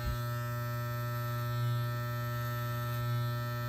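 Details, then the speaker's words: Wahl clipper with freshly sharpened and aligned blades, tested cutting fake fur: steady even low buzz with slight swell under load, cutting smoothly and cleanly; normal clipper running. "very smooth clean all the way across the blade"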